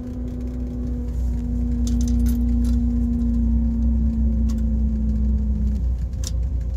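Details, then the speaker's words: Corvair at idle after new alternator fitted, while testing the electrics: a steady low electric hum over the idle that sags and cuts out; this accessory motor used to be super quiet but is now loud. "they used to be uh super quiet before you can never hear it on video but now you can"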